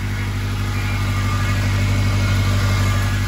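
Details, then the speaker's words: 2006 Acura RSX with swapped-in JDM K20 engine from a Honda Stream, first fire-up on old plugs: steady deep rumble with even pulse, no knocks or rattles, a little smoke burning off; running good. "she's running good I see a little bit of smoke stuff burning off there he's running good"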